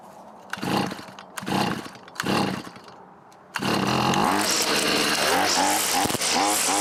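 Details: Neighbor's two-stroke weedeater that wouldn't fire up, after reassembly, choke on and power on: three short pull bursts, then catches and screams at high revs, buzzing steadily with slight wavering; starts and runs fine.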